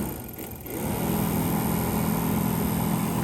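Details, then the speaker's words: 1985 GMC K15 heater blower, powered by a jumper-cabled battery after mouse nests were cleaned out: spins up into a steady low hum with some rough whir, moves air out of vents; running, noisy but tolerable. "Let's see if it's actually blowing anything inside. I feel air moving right here. Might have to seal that up. Sounds like it's working in here. It's blowing out of the vents."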